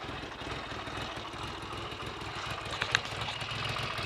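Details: Triumph Trident T150V triple started after standing over two years with points, plugs and carburetors untouched; a steady idle with a soft, regular exhaust beat and light top-end clatter, running smoothly without stumbling, healthy.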